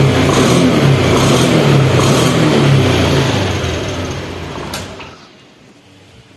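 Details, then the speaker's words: 2021 Honda Beat scooter after a manual ECU reset, EOT sensor reset and altitude mode setting: the engine picks up cleanly on the throttle, holds, then falls back smoothly to quiet; normal throttle response. "Okay we pull gas disposable contact these guys are already responsive back guys"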